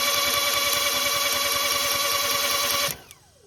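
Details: Kia crank no-start before the new camshaft and crankshaft position sensors are installed: starter cranks in quick even beats, about four a second, engine never fires, then cranking stops; owner suspects the sensors, not confirmed.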